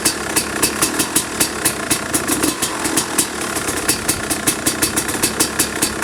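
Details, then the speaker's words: 2005 Kawasaki KX250 two-stroke, first fire-up after rebuild for low compression (piston shot, plating questionable, crank play): crisp even popping at steady fast idle, no misses or rattles; running clean and healthy. "But man, it sounds and smells really good."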